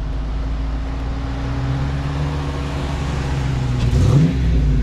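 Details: Brand-new 2023 Dodge Challenger R/T Hemi V8, about 10,000 miles in first 6 weeks: smooth V8 burble rising into a quick rev and settling back, no ticking heard over the exhaust; healthy engine.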